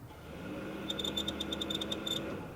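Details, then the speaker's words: Vectrix electric motorcycle after battery reinstall and reassembly, rear wheel spinning on a jack under light forward throttle: quiet whirr with rapid sharp chirps about seven a second, seemingly from the motor controller; owner wonders if transmission or oil related, unconfirmed. "I get kind of it sounds like a chirping coming from the motor controller. Kind of a little chirp, chirp, chirp."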